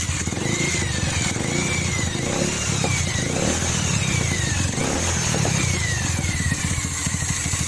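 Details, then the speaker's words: Bajaj 180 single-cylinder motorcycle after replacing valve stem seals, loose cam chain and tensioner rubber: catches and revs up and down cleanly with even exhaust beat, no top-end rattle; healthy. "Pasangin, tinggal kita hidupin dan kita dengar suara mesinnya ini bro. Ini setelah kita ganti payung klep, rantai klep sama karet tensioner ini bro."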